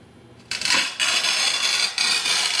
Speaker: And now you'll hear a sizzling noise, and that sizzling noise tells you that you're getting a good, consistent amount of pressure.